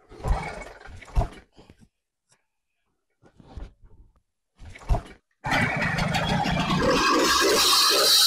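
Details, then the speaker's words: Motorized bicycle with a small two-stroke engine, not started for about 2 months, fuel primed: a few separate pull bursts with gaps, then it catches and runs with a steady, high buzz; normal start and running, to be warmed up. "Alright, kita dah berjaya start ya. Kita tunggu enjin ni panas dulu."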